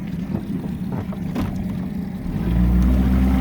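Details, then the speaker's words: 1998 Nautica RIB 14 outboard with 176 hours, in the water, started first turn after sitting unused since the holidays: low, even rumble that firms up near the end, with wind; idles smoothly. "It started up, first key, first turn, and it has not run since before, I believe, the holidays."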